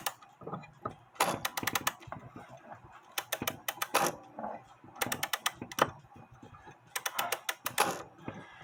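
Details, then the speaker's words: Seth Thomas Sonora clock with balance escapement, being wound: bursts of rapid ratcheting clicks as the mainspring slips instead of catching; the click is suspected to be slipping and needs fixing. "oh I think I have a the mainspring is slipping as I wind it up It's not catching The Click um might be slipping"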